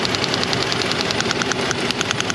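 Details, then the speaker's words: Jeep Liberty 3.7 with rough idle and misfire: rapid sharp snapping ticks about ten a second as spark arcs out of a swollen coil boot before reaching the plug; also leaking water pump, overheating. "spark is escaping before it can make plug we have a fat coil boot"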